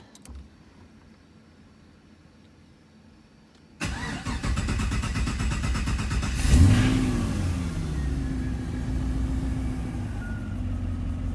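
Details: Engine start on car with newly finished Arnes LTXD exhaust (downpipes, merge with O2 sensor, muffler, V-band clamp): cranks, catches, brief rev, then smooth even idle with mellow exhaust note; normal running.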